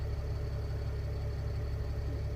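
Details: Mercedes ML320 CDI W164 OM642 diesel, no fault codes; smooth even low idle with steady deep rumble, no knocks or misses, healthy.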